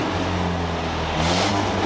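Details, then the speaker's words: 1964 International Scout 80 after tune-up, test drive with exhaust leak under 2 ft from engine: steady drone under wind and road noise, far less backfiring, slight popping; carburetor or timing may need tuning; normal running. "There's a little bit of popping, but it sounds [ __ ] great. The carburetor may need some some tuning."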